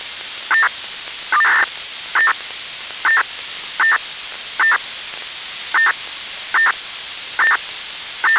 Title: Strange noise on PMR446 (Motorola MDLC protocol used by SCADA telemetry/remote control system)